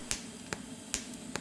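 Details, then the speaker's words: TIG welder on a homemade automated linear welding carriage, pulsed, joining two stainless pieces with the motor slowed by a voltage regulator: sharp regular ticks about every 0.4 seconds over a faint hum; pulsed arc welding evenly and normally. "You can also see that the device is more than capable now of welding the two pieces of stainless together."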